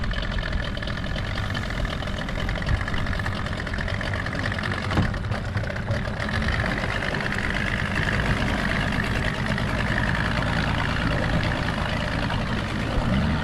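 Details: Outboard on a restored 13 ft Delta T850 race boat, idling on the water during its first test: steady, even low burble over water wash, no hesitations or misses; idling cleanly and running great.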